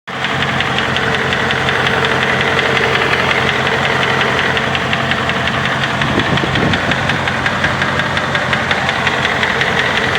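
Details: 2005 Dodge Ram 2500 4.7 at idle: steady light ticking about three per second over an even idle; suspected bad lifter, rods, piston wrist pins or timing chain tensioners, said not exhaust manifold gaskets; unconfirmed.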